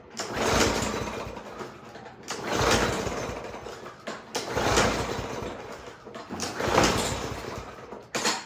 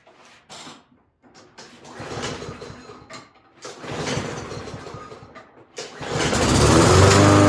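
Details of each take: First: Toro lawn mower before tune-up, gas confirmed; four or five recoil pulls about two seconds apart, each a brief whirring crank that never fires, no-start; dirty, wet air filter found afterward, suspected to stop it breathing. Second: Toro walk-behind lawn mower after spring tune-up; small engine catches after a couple of pulls and settles into steady, even buzz with no misses, healthy, being run to check the drive.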